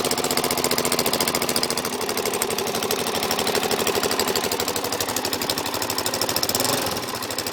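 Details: Suzuki DR-Z400SM single-cylinder idling: loud, fast rattly clicking tracking each firing beat, started after over-revving in 1st gear, seems to come from carb/crankcase area, goes very quiet in 5th gear; cause unknown.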